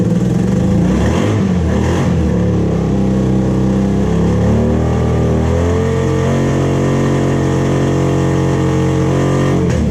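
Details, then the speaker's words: 1987 Honda Super Magna motorcycle sitting about 10 years, first runs on fresh fuel: lumpy uneven exhaust beat settling into a steadier but still rough drone as cylinders catch; misfiring, slowly clearing. "Oh no. It's definitely not happy, but it's starting to clear up a little bit more and more."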